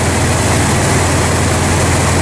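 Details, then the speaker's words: Old car idling after power steering pump replacement (old pump ran dry from a leak), left running to warm up so plugs don't foul; deep, smooth, even idle with no misses, ticks or knocks; normal idle. "So when I have to start this car, I let it run until it warms up and gets up to temperature. That way the spark plugs get hot and they won't tend to foul out. It sounds like it's running pretty good. It's smooth."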